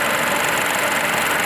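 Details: Ford EcoSport 1.0 petrol with a P0301 cylinder-1 misfire, rough idle and vibration, after the fix with AC on: even, steady idle with no stumbles, smooth hiss and hum, misfire and vibration gone.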